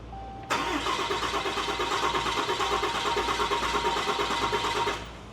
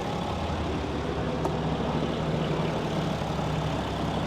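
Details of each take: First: Newly installed built 6.7L Cummins diesel (Tow Monster Plus), second start attempt after key cycled to prime: even starter churn about four and a half seconds, never catches; cranks but won't start, air in fuel system. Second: Newly built 6.7L Cummins diesel (Tow Monster Plus) that initially wouldn't start, after bleeding air from the fuel system: even, steady idle with deep rumble, no misses, knocks or hunting; gauge shows no oil pressure, switch suspected bad.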